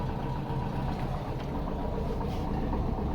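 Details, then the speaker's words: VW Type 4 engine at idle in neutral after bearing fix: steady even low idle, smooth beat, no growl from clutch in or out; previous growling noise with clutch released was the bearing. "Clutch in, no difference. Clutch out, no difference."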